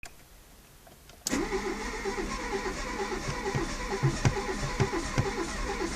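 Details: Seat Arosa 1.0 that won't start for no apparent reason; quiet, then starter turns engine over with uneven chuffing pulses about two per second that never catch; crank no start.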